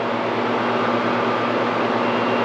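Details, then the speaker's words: Air conditioner on high fan and high cool after its dog-chewed cord was replaced with an upsized cord and 20 A GFCI plug: steady compressor hum under smooth fan rush, no rattles; normal running. "And yes, it is. I can hear the pump running. And the air is blowing nice and cold."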